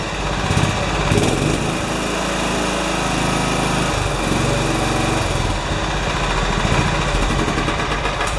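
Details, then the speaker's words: John Deere 180 small engine running after exhaust valve adjustment (valve wasn't fully closing, ran poorly): quick, even putter with steady beat, no misses or tapping; runs smooth. "okay I'm happy long as it doesn't leak I might just let it run for a minute before I put it back together again"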